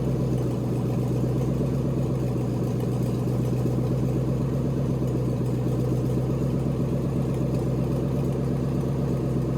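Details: LS V8 swapped into a BMW E46, first start in chassis with newly built cooling system, warming up while coolant temp is monitored via OBD2 (reaching about 178 before fan switched on): steady even idle, smooth low burble, no knocks or misses; healthy.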